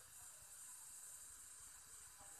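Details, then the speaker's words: Sony KLV-40EX430 TV that keeps switching off and on, heard close to the inside of the running, very hot set; faint steady high hiss ("xì xì") from inside. Cause suspected, not confirmed. "em có bạn nghe ghét ai mới nghe tiếng thôi xì xì ở trong này đoạn này à"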